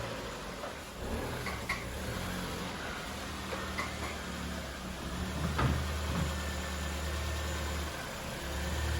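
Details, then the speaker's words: 2010 Ford Fiesta salvage rebuild with crash damage, idling during reassembly before gear test; steady smooth low idle with occasional light handling clicks, even running: normal idle. "yeah mate the engine sounds lovely well that's a good start"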